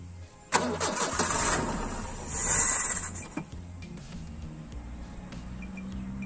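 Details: VW Gol (square) petrol carburettor engine with suspected fuel pump failure, not drawing from tank, weak battery needing a jump; starter churns about three seconds but never catches: crank no start, cause suspected not confirmed.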